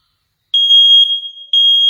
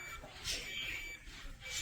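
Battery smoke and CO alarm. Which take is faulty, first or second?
second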